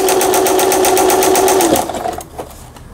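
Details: Singer Fashion Mate 6160 home sewing machine, repaired after an apparent fall-impact shock, test sewing straight stitch; steady needle rhythm near four strokes a second over a light motor whine, stopping cleanly, running normally.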